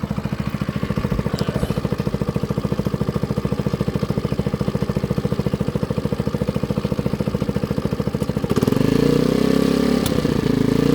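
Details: Baotian BT49QT 50 cc Chinese moped after carburetor cleaning: steady single-cylinder putter at about three and a half beats a second, even and unbroken, with a slight lift near the end; runs cleanly, normal running.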